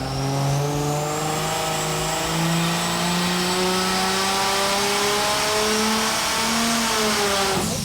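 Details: Turbocharged Chevy 292 straight-six with Holley Sniper EFI, on dyno for 1965 C10: steady pitch climbing smoothly under full load, no misses or knocks; made 429 lb-ft at 3,500; normal full-throttle run.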